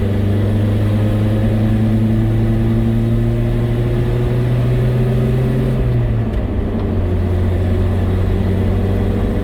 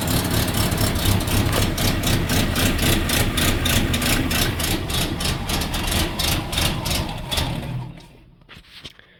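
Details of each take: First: Datsun truck on a road drive after fitting a new carburetor, radiator and thermostat, choke still needing adjustment: steady engine drone climbing evenly, pitch dropping at a gear change; smooth, faster pull with no vibration or misfire. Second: Datsun cold start around 5 degrees: stumbles with uneven, lumpy fast firing, seemingly on one of three cylinders, never smooths, then dies; engine loading up, running rich.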